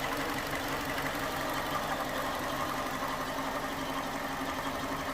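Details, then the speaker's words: 2011 Ford Ka 1.2 idling after misfire repair (scan showed P0203); steady, even idle hum with no misses, stumbles or knocks, no faults detected, engine now running really smoothly. "so the engine is now running pretty smooth to be fair with you look at that it's running really smooth"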